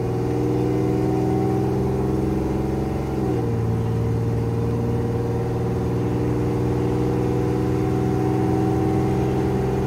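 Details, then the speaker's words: 1987 Chevrolet Celebrity Eurosport 2.8 V6 at 235k miles, after vacuum modulator replacement and turning its adjustment screw in one turn: engine note climbs and flares without more pull, still slipping in second. "all right now we made our adjustments let's see how she shifts still slips in"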